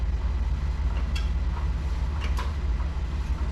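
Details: 1975 Dodge Charger engine that was knocking badly, compression mostly about 125, highest about 160: steady even cranking chug about two and a half beats a second, no missing beats; compression sounds healthy.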